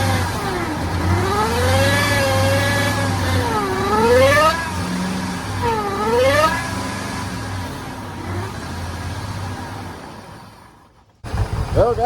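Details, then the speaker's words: Harley-Davidson F-150, supercharged, towed in not running, after all eight coil packs and spark plugs were replaced: uneven, lumpy running that won't rev smoothly; misfire persists, fuel system suspected next. "it's not running good but it's running we uh we know it's definitely not the coil packs not spark plugs all that's good and we at least got it somewhat idling"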